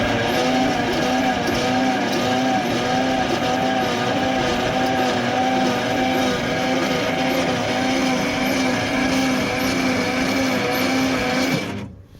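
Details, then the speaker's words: 1955 Dodge Super Red Ram Hemi V8, 70 years old: the starter spins it evenly, about four compression pulses a second, without the earlier odd noise, and spark is present. "I can hear compression happening and it ain't making that weird noise it was earlier"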